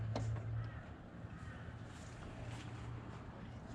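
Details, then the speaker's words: Ford 302 Cleveland V8 in a Jeep cranking during a dry compression test, cylinders reading about 130–150 psi. Low, laboured churn that turns over sluggishly with no firing; a weak starter motor is suspected. "I notice it's winding over very slowly. I don't know much about this build, haven't heard it before, but I wouldn't like my car to wind over so slowly. Sounds like there's a bit of an issue with that starter motor."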